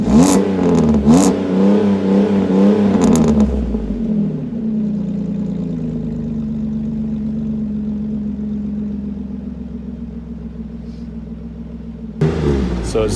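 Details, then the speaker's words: Pontiac G6 with a new Magnaflow exhaust, after fixing a whistle caused by a loose gasket and the flex pipe: clean throttle blips settle back to a smooth idle with no whistle or hiss. Normal revving. "um no more noise listen to this that is uh put a magnaflow exhaust on the old g6 here"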